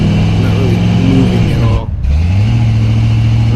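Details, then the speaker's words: 1990 Chevy K5 Blazer with no low-end torque, headers with true dual exhaust: steady drone at higher RPM while driving, then it briefly cuts out and sags before catching again. Persists despite new EGR, fuel pressure regulator, TPS, MAP, IAC, O2 sensor, distributor, plugs, wires and coil. "This is while I was driving, going down the road. It'll cut out, you'll hear it cut out and everything, so it's higher RPMs"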